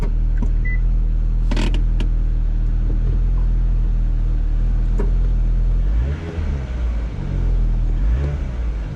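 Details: 2013 Mini idling after a new exhaust clamp was installed: steady low idle with faint puffing and ticks from the exhaust leak, sounding no worse than with the earlier hose clamp.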